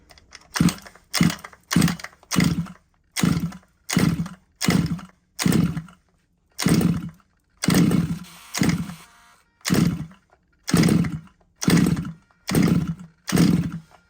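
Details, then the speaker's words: RC petrol engine from a used job lot: about fifteen pull-cord strokes, each a whirring rasp with no firing, choke tried in both positions. No start; the engine is flooded, with spark present and the plug black and wet. "when I'm pulling it to me it feels it feels like it's um flooded let's just try on that position so it's definitely not any better in that"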